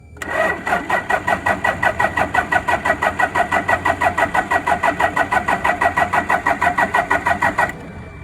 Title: Toyota 3L hard start #toyota #hiace